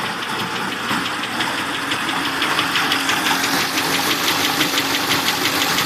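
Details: Turbocharged LS1 V8 in a Datsun 260Z (S30), idling after a head gasket repair: a steady, sharp, light top-end tick of about two per second over a smooth idle. The owner suspects a bad lifter or possibly piston slap.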